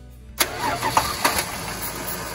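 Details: 1986 Dodge D150 Royal SE, 225ci six, new-old-stock carburetor, starting fluid tried: starter cranks with a few sharp pops that die away without catching; fuel not reaching the bowl, stuck float needle and seat replaced with the old one.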